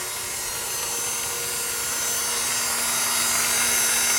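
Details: 1997 Acura CL, ignition on, engine off: faint, steady low whir at one pitch under a hiss, vibration felt at the starter; owner suspects the starter is spinning.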